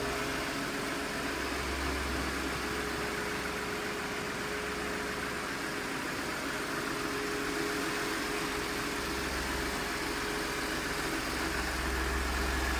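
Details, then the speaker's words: 2016 Ford F-150 Lariat SuperCrew 4x4, 2.7 L EcoBoost, 6-speed automatic, no check-engine lights: smooth, even idle with a steady low hum and faint constant whine, no ticks or stumbles; healthy, smooth-running engine. "Nice looking truck and a smooth runner."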